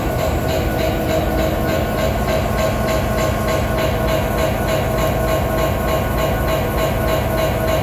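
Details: Regular knock about three per second over the steady drone and a ringing tone of a BNSF SD70ACE locomotive #9158 in Utah; very strange knocking noise of unknown cause.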